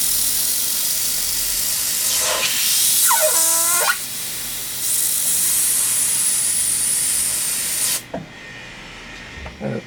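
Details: Airbrush at high air pressure with paint too thick: hissing airflow turns choppy and intermittent as paint is drawn, limiting how fine a line it can spray; sputtering from overly viscous paint.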